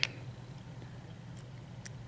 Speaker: it already bent you can hear that hear that clicking that clicking you hear that means it bends